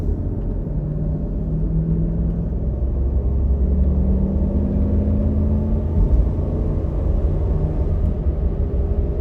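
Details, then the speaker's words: 2007 Jeep Grand Cherokee 4.7 L on a test drive after replacing the noisy driver-side front wheel bearing: only steady road rumble at speed, with no growl or hum rising with speed; the bearing is now quiet. "and it's quiet there's no noise coming out of this [Music] thing"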